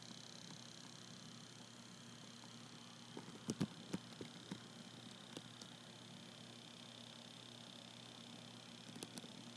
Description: The clicking sound is definitely being made by the fan, but what does that mean?